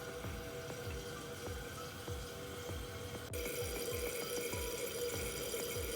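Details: Toilet refilling after a worn flapper was replaced: an even rush of water with no thin trickling hiss; the tank refills and seals normally.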